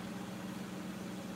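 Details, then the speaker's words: Miele washing machine spinning up: quiet, steady low hum at constant speed, shock absorbers audible, not whiny, no knocking or banging, shaking only a little; smooth, normal spin. "you can hear the shock absorbers going - yeah boss that goes off I like the sound of many of ours as well yeah it's not whiny"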